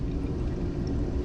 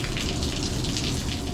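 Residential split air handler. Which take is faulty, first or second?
second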